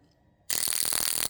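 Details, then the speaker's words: Toyota Supra (1200 hp) fuel injector, soaked in gasoline and bench-tested with a cheap pulse tester on 12 V battery. Crisp, evenly spaced rapid clicking: this one works, while injector number one did nothing. "Hear that? That works. This one, which was injector number one, nothing. No working."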